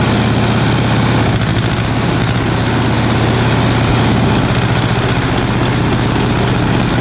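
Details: 1936 Caterpillar RD7 crawler, first start since its seized, water-contaminated starting engine was rebuilt from parts units: low, steady diesel chug at an even pace with no misses or clatter; normal running.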